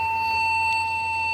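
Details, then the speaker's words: Custom Pentium 3 cartridge PC with 250 W power supply: a single unbroken high-pitched beep at power-on with nothing following, persisting after reseating CPU and RAM; one long beep, no POST, dead CPU. "I would get a beep code one long beep and of course no boot makes me wonder what we might be looking at"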